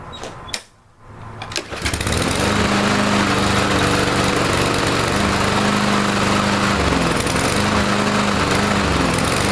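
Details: Troy-Bilt TB230 169cc four-stroke mower running while Sea Foam is sprayed into the intake: a fairly fast, steady beat of about 214 per minute with small dips and stumbles, still somewhat rough.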